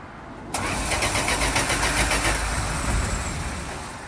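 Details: 1983 Dodge D150 won't start: starter cranks steadily at three to four pulses a second and never fires. No spark seen; smoking, with a leaking intake gasket. Owner suspects bad plug wires.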